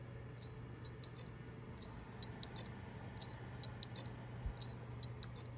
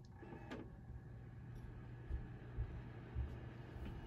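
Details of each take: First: 2TB Seagate Barracuda hard drive tested in a Dell OptiPlex 790 SFF, suspected dead: faint irregular sharp ticks over a quiet hum, heads clicking without spinning up properly; not detected in BIOS. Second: Dell OptiPlex 790 SFF (Core i7-2600, 16 GB) after replacing the broken CPU blower fan that sounded like a saw blade scratching plastic; now a soft, steady low hum with a couple of light clicks, running quietly and normally.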